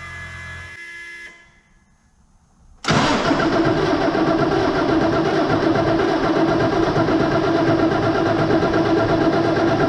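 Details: New Holland T8020 tractor with a Cummins 8.3 L diesel, first start after installing new Bosch injectors to cure a loss problem: fires straight away on cranking and settles into a steady, even idle with no misses or knocks; normal.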